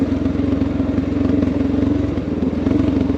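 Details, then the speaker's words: Honda XR650L 644cc air-cooled single coasting downhill off throttle: steady, even thump with no pops or backfires; clean, normal engine-braking deceleration. "that nice clean no popping"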